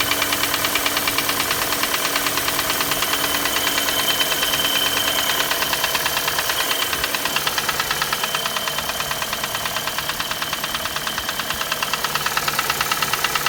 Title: Стук двигателя Шевроле Круз z18 1.8